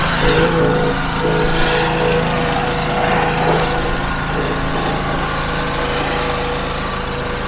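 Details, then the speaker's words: Pressure washer after replacing a seized pump with a new 3000 PSI pump, first high-pressure test with a leaking hose fitting: steady, even engine drone with constant pump hum under load, no misses or knocks; normal running, very powerful spray. "We have a small leak from the fitting, but watch this. Very hard to do one hand. That is powerful."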